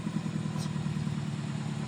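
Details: Project car, even steady low idle with smooth pulse, no knocks or ticks; running cleanly, normal idle.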